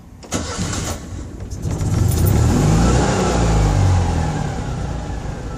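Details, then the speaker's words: Citroën 2CV (Project Elly) after fitting the spare ignition coil: catches and revs cleanly, settles into a steady even flat-twin beat, sounding healthier; owner thinks a new coil is needed, and it later conked out on arriving home. "That sounds rather healthier. I think I need a new coil."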